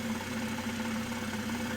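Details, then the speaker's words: 2023 BMW M240i B58 engine, 4,000 miles, being rebuilt after wreck: light steady knock under idle, tracking engine speed, low in block, located under car in the middle; owner concludes it needs new rod bearings at least, unconfirmed. "Well, we've confirmed one thing. This motor needs new rod bearings at the least. This is the conclusion we came to."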